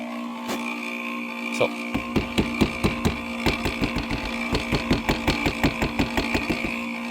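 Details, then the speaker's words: 1991 Dodge Grand Caravan SE wiper motor running: loud steady drone with a quick regular clatter, nearly three knocks a second; motor works on high, low and intermittent but is noisy. "Oh, it works. We're in business. It's loud. Listen to it go. And it's spinning."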